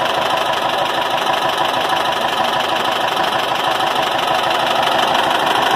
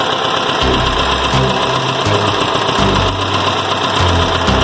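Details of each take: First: Air-cooled VW Gol BX after its clogged, leaking carburetor was repaired, recorded from a distance: steady, even idle with no misses or stumbles. Normal idle. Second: Air-cooled VW Gol BX engine whose carburetor is leaking fuel and flooding, with a hydraulic-lock risk: rough, lumpy idle with uneven low thumps and stumbling beats. Flooding carburetor.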